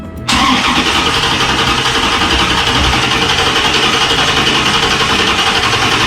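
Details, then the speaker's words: 1995 LT1 C4 Corvette just after a performance Opti-Spark distributor replacement: brief starter whirr, then it catches first time and settles into a steady, even idle with no misses; normal start and idle. "Hey, sounds good. That sounded good. It started."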